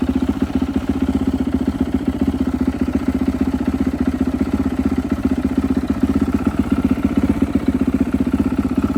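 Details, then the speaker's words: Rebuilt turbo Yamaha YZ450F now 500cc on E85, normal idle slightly rich (runs poorly leaned to 14.7 AFR): steady single-cylinder thumping around four beats a second, even and stable. "Likes to idle on the richer side. I've tried to lean this out to 14.7 and it does not like it. So it seems to be pretty happy in this area."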